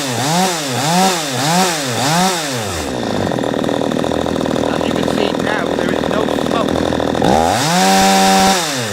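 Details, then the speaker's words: P1PE P6220C two-stroke chainsaw with high-speed carburettor screw deliberately set wrong to simulate no power at high speed: blips then runs flat, thin and gutless at full throttle, slow to rev; high-speed mixture too lean. "okay as you saw when it becomes gutless I unscrewed it quite a bit it becomes very slow to go when you're on the high-speed"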